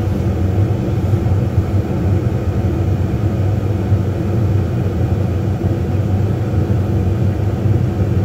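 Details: Brand-new Lennox furnace in an attic, about one to two months old, running after the inducer draft motor was replaced under warranty; rubber stuck inside the inducer had stopped it starting. Steady low rumble and whoosh with no rattles or scraping. Normal running.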